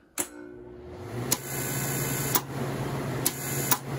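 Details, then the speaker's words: Vintage TIG welder after control board repair and new high-voltage impulse transformer, capacitor of about 0.005 pF fitted; steady low buzz with faint high whine and sharp clicks, relay singing as expected, normal. "you'll hear the sound that i'm kind of looking for if that sound isn't there we don't have much"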